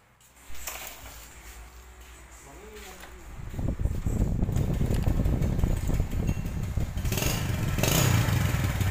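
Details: Yamaha Jupiter Z new motorcycle engine, rebuilt a month earlier with oversize piston and complaint of ticking: after a quiet start it settles into an even idle with no obvious ticking from the top end; sounds healthy.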